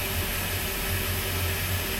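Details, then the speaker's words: Port inboard engine of a 33ft express cruiser, first start after winter layup and manifold and riser service, with the starboard engine not yet started: short, even, steady drone with a smooth low rumble, no misses; clean idle. "All right, one out of two. That sounds really good actually."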